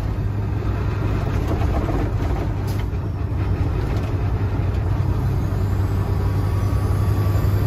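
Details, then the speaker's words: Semi truck glider with about a million miles and a 10-speed, differential replaced a month earlier, at about 65 mph: heavy, steady, rough low drone with grinding that occurs only when lifting off the throttle. Source not yet found. "it's only only at one it sounds like the trains something's wrong"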